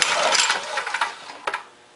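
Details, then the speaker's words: Briggs & Stratton engine on a power washer with a blown connecting rod: a brief pull-over gives loose metallic clatter and a free spin with no compression. "but this machine here this is the one with the blown connecting rod yeah that doesn't sound"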